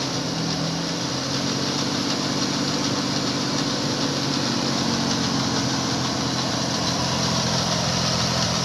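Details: BMW petrol engine idling with a fast, uneven metallic rattle over the hum, from the timing chain.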